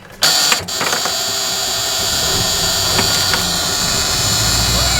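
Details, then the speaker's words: 42-year-old bus on a slightly cold day, second start attempt after waiting 30 seconds following a failed first try: short crank, then the engine catches and settles into a steady, even run without stumbling. "Woo! Second try's always the charm, man!"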